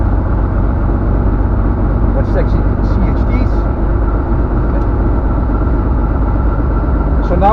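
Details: Van's RV-7 aircraft, ULPower 520iSA engine with Airmaster propeller, just started and still cold, oil pressure okay: steady, even engine drone throughout with no misses or knocks; a healthy engine running.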